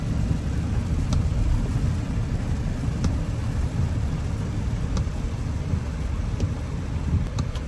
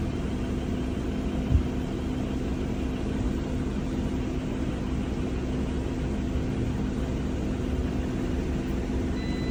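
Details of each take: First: Audi Q7 supercharged V6, after repair for a scanned cylinder 6 misfire, cover back on: low even idle rumble with no stumble or uneven beat, only faint ticks, no vibration; smooth normal idle, no misfire. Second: Audi Q7 supercharged V6 with cylinder 6 misfire, coil pack swapped and misfire stayed on the same cylinder: steady low idle with a slightly uneven beat; faulty spark plug is the culprit.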